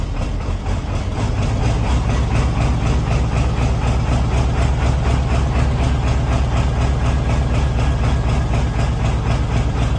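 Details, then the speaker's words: 1994.5-97 Ford 7.3L Powerstroke turbo diesel, 300k+ miles, just after injection pressure regulator (IPR) valve replacement, cold start at 62°F: deep rumble with uneven, lumpy idle while air purges from the high-pressure oil system. "there's just air in the system we'll get worked out there we go much better"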